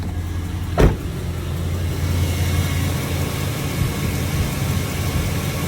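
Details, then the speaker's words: 2002 Chevrolet Silverado V8 with misfires, after a clean-up: short clunk then low smooth V8 idle with even pulses, no stumble; normal idle. "It actually sounds like a V8. So hopefully I don't this part anymore."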